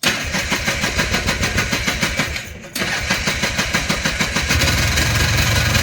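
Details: Polaris Trail Boss 250 two-stroke, just revived: pops unevenly at about three beats a second, stumbling and barely holding idle. The owner suspects the carburetor idle circuit is still plugged and plans more carb work.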